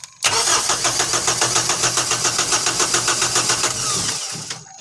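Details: Kubota M6060 tractor diesel with a fuel issue that bogs when warm, cranked after priming the lift pump and water-separator fuel bowl and tightening the banjo bolt; quick even starter beats, about 3.5 per second, for roughly four seconds, then quiet.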